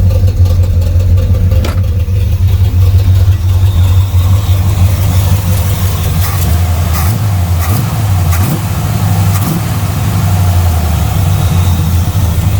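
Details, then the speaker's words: Camaro V8 with a newly fitted Edelbrock carburetor on a base tune: deep, steady low rumble with an even lope and no knocks or misses at about 700 rpm; healthy idle. "So, it should bolt up and fire up uh to get this thing to idle at about 700. I think that's where she's at. Should start with no fuel."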